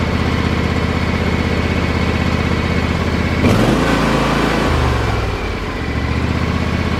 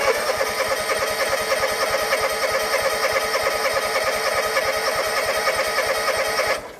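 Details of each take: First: John Deere X324 four-wheel-steer mower that had sat as a no-start, with the fuel pump reconnected, choke up and full throttle: the single-cylinder engine catches after a brief crank and settles into a steady, even run; normal start. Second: John Deere X324 4-wheel-steer mower, sat a long time, old fuel, choke on, weak battery boosted: steady cranking about three turns a second for six seconds, no firing; fires on carb cleaner, so fuel delivery issue.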